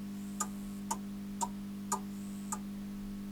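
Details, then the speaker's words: Zanussi ZAN 3K 2G grid-tie solar inverter (rebadged Solis 2G), after repair for an OV BUS error, now showing "generating": five crisp relay clicks about two per second over a steady electrical hum as it connects to the grid, normal. "we heard relays you can hear how many it says generating it's making noises"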